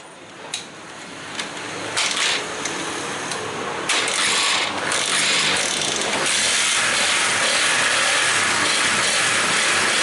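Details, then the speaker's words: Honda CB150R after fixing a no-start (no fuel pump hum, no spark): cranks with a few sharp catches, fires, then settles to a steady, even idle with no misses; charging then checked, 13.2 V engine off. "Ini sudah hidup motornya. Motor hidup, kita cek pengisiannya apakah kickstopnya normal."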